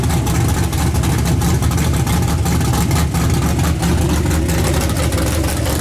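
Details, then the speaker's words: S10 pickup (Skull Garage) on a snowy road test with new plug wires and spark plugs: rough low engine note broken by irregular crackling pops, roughly one to two a second, under throttle; misfire persists, owner suspects voltage, weak battery or grounding. "still doing it I don't know what it is new to stripper new plug wires and your spark plugs and I have no idea"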